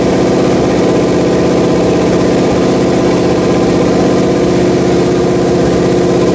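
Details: Pontiac 400 V8 (for 1979 Trans Am) on a homemade engine run stand, second flat-tappet cam break-in after the first attempt wiped a lobe, lifter and bearings; steady, even fast idle on the fast idle cam, smooth regular beat, no lifter tick or knock.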